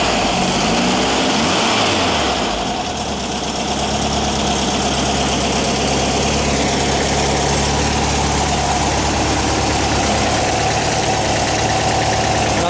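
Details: 1959 VW single cab pickup, replacement air-cooled engine warming up after start: steady, even idle with a low, regular beat, no knocks or misses; healthy normal idle.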